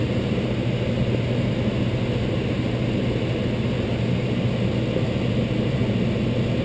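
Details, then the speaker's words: Intertherm electric furnace started after checking that the limit switches had not tripped: a relay click, then steady blower rush and even hum. Heat strips draw 19.8 A, then 21 A as the other strips come on; operation is normal. "I heard to click there the other heat stps are now running they're running at 21 amps and that will fall down a little bit"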